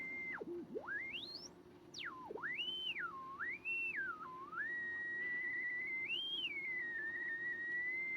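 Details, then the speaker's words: BC455 (ARC-5 command receiver) under restoration, BFO heterodyne on a 7 MHz signal generator while warming: whistle swoops up and down, never steady, over faint hiss; beat oscillator unstable, owner suspects the CW oscillator. "Right, and what I've discovered, having got the oscillator working, is that it's very unstable and it's a bit noisy."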